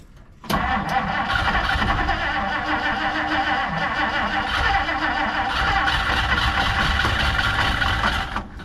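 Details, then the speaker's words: Abandoned 1959 Plymouth Savoy project car, engine catches after several tries and runs about eight seconds with an uneven, stumbling beat and no steady idle; it had been running well earlier; rough running, cause unclear. "that sounds terrible [Music] it was running so good"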